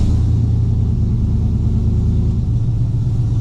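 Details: Cammed Gen 3 V8 on a tune reverted to stock 2004 Yukon except base running airflow: steady, deep, even rumble held well above normal idle, never dropping back; high idle, cause of the open throttle not yet found.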